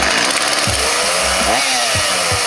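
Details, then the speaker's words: Homelite UT series chainsaw after carburetor replacement (tune-up), cutting wood: loud, crisp two-stroke buzz rising and falling with the throttle, pulling strong with no bogging; normal running. "there you have it chainsaw tune-up sounds like a champ"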